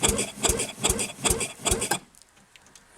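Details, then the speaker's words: Rebuilt Penguin engine on test mount, first battery-connected crank forward: five even cranking pulses about 2.5 per second, then stops; turns over freely. "it does i'm uh glad to see that"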